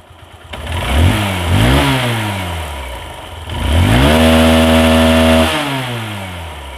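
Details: Hero Hunk motorcycle after engine work on the compression rings; two clean throttle blips rise and fall smoothly back to steady idle, no knocks or rattles: healthy engine.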